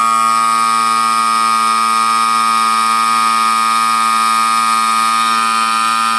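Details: Air compressor, about 25 L tank, after replacing reed valves and one-way valve (previously wouldn't build pressure): steady even motor hum, constant pitch, no knocking, refilling as pressure stabilizes; normal running after repair.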